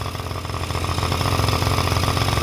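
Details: Small two-stroke Honda Dio scooter, after an internal oil-pump leak was cleaned out and a temporary external gravity-feed fuel tank fitted, settles into a quick, even popping idle with no misses; running cleanly and healthy.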